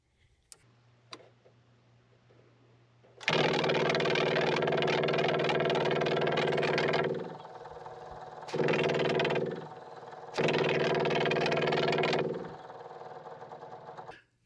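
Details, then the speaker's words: RV Onan generator that won't start, fuel line off and prime button held: electric fuel pump buzzes in short bursts with a fast rattling whir and no fuel delivered; cavitating, air in the fuel line. "Well, I think I found my problem. Now I just got to backtrack and see what it is. Kind of acts like it's cavitating, like it's got air in the line."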